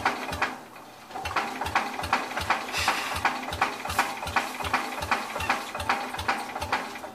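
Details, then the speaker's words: Old Cub (1953 or 1963) engine, long sat, dust inside, carburetor stuck: starter cranking about three strokes a second with occasional firmer puffs, never catches; owner plans to remove intake and spray directly. "it's trying I think what I need to do I need to take the um intake off this thing so I can spray direct into it"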